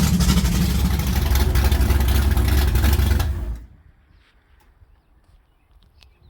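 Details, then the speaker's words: Pontiac GTO V8 after switching to Evans waterless coolant, run about 18 minutes to operating temperature: strong, even rumble holding steady rpm with no knocks or misses before shutdown; normal running, sounds healthy. "All right, hang on, my ears are still ringing. That sounded good."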